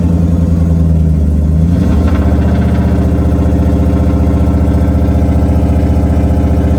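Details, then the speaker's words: 1UZ VVTi V8 swapped into a Nissan 200SX S13 drift build, very first start after months of work: brief blip then steady, smooth raised idle; idle set high, needs adjusting at the idle screw, otherwise healthy. "try to let the idle come down a little bit going to have to adjust the idle on that screw there but so far so good"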